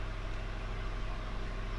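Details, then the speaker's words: Ford Shelby GT500 after alternator replacement, previously not starting: deep, even idle rumble at constant speed with no knocks or whine; normal idle. "it's working like it should."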